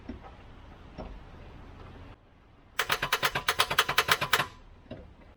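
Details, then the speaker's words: Volvo 244 redblock engine that won't turn over after sitting parked a while. Trying a newly bought jump starter pack gives a rapid burst of sharp clicks, about eight a second for roughly 1.5 seconds, with no cranking. "i'm hoping if i leave it collected for a little bit longer it'll work probably not it's not even trying to turn it over"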